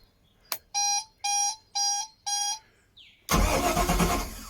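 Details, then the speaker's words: Sunseeker XPS 21 boat, newly installed replacement marine starter motor: four short even cranking bursts with clean steady whir, no grinding; engine not started because of repair on exhaust riser; normal starter cranking. "yes i'm not going to attempt to start because um i've got some jb world on that exhaust riser but that sounds way better so pleased with that"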